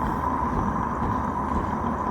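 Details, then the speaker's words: Live steam model locomotive gas burner just lit, smoke box door closed, heard through a listening tool: steady low rumble with no sputter or gaps, burner burning properly; no rumble would mean fire went out. "If you don't hear that low little rumble inside, turn the gas off. And you're going to have to relight because the fire went out."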